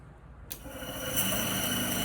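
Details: Small air compressor with water bottle and tubing, switched on with its button: a click, then a steady soft hiss and hum that builds and holds even; mist coming out confirms it is starting up and running normally.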